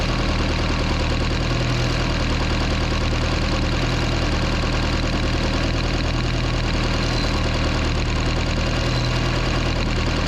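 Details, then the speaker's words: 1976 Mercruiser 120hp in a Mark Twain boat, tune-up at idle with valve cover off: even idle with light quick ticking about three a second as a rocker is backed off; excessive valve lash before adjusting hydraulic lifter a quarter turn at a time. "so right now I'm hoping you can hear this I'm gonna back this off until I hear clicking bike right here"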